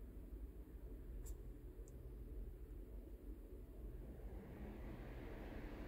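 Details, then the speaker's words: 2009 Saab 9-3 Vector TiD 150HP diesel manual wagon, engine off, cooling fan run at the higher of its three speeds during component testing: steady, loud rush of air, smooth with no rubbing or ticking; fan working normally. "that's higher speed okay so it has three different speeds that's interesting"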